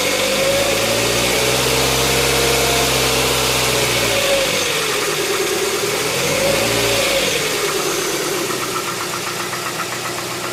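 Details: 2007 Tucson 2.0 16v GLS, cold-start morning noise that goes away after about 10 km: light, fairly regular ticking about four per second that continues through throttle blips; top-end tick, mechanic suspects lifters (tuchos), unconfirmed.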